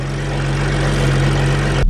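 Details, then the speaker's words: BMW F32/F36 435i N55 after water pump and thermostat replacement, idling on ramps before warm-up: smooth, steady low hum with no knocks, ticks or whine until the key is switched off; running great, normal idle. "Everything seems to be good. It's running great."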